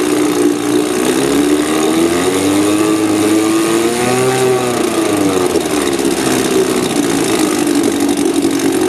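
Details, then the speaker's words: Outboard engine with failed magneto coils, run on a car-battery ignition workaround and recoil start: a steady, smooth, even drone that swells and settles briefly. Tricky to start but runs normally. "kind a bit tricky to start but it runs beautiful once he's going"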